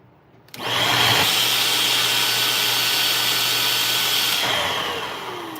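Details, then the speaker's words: Vacuum cleaner on first power-up test; steady high motor whine that shifts and sags in pitch partway through; clog restricting airflow. "Okay, that change in motor sound you're hearing is a clog."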